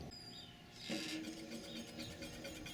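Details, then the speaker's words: Qiewa Q1 Hummer e-bike after controller hookup, rear wheel spun under throttle: light fast steady swishing scrape above the motor, probably brake pads rubbing on the rotor; adjustable at the handlebar brake screw. "it sounds like my brake pads rubbing a little bit"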